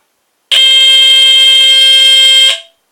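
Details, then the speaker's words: Vintage GE Home Sentry 8202-001 120VAC hardwired smoke detector, tested with cover on: steady piercing high tone for about two seconds, then a brief ringing ting when it stops. Normal test tone. "Okay, and as you can hear it has that ting. That's what I call the ting after like when it stops sounding."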